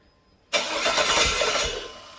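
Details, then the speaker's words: 2002 GM 5.3 V8 on an engine stand with a cheap aftermarket wiring harness, first start: catches with a sharp pop and loud ragged burst, then stumbles and dies, zero oil pressure; injector adapters suspected loose. "we're going to go not good zero oil pressure all right so that was not good not good at all SC scared the crap out of me when that thing popped like that uh didn't sound good"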